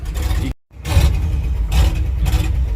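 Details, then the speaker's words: International truck V8, rebuilt engine, cold start in January on ethanol fuel: lumpy, uneven low rumble with irregular stumbles and brief dropout, not running on all eight cylinders; owner suspects carbon-core spark plug wires, plans solid-core copper. Misfire. "it's not inconsistently it won't run on all eight cylinders and I really I'm down to the point where I believe fully it has to do with the spark plug wires"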